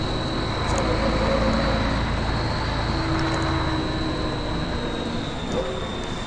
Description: First Manchester Volvo B10BLE, with a strange, high pitched noise.